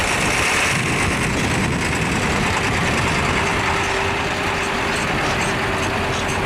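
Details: International truck with DT466 diesel, bump-started by towing in about third gear: steady even diesel idle with low rumble, no knocks or misses; excellent running engine.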